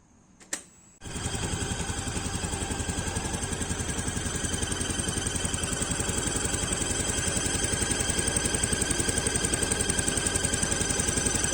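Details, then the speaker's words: Yamaha Aerox scooter (radiator-cooled) idling gives a steady high-pitched squeal over the even putter, at first thought to be from the CVT; traced to the water pump seal, fixed by replacing seal and bearing. "jadi beberapa minggu yang lalu motor saya itu terasa mulai ada masalah ada suara The Chip yang berasal dari area depan atau bagian CVT nya itu seperti ini ya guys"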